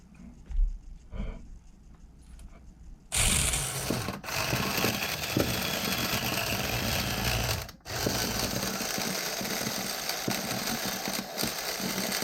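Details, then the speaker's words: Vintage nitro RC engine (OS tagged) with good compression and a confirmed working glow plug. A buzzy starter whir with brief dropouts runs for several seconds, but the engine never catches or fires; it is declared dead. "I don't know why it's got more pop than that HPI engine does guys but it doesn't want to start up it will not fire over it won't even hit and"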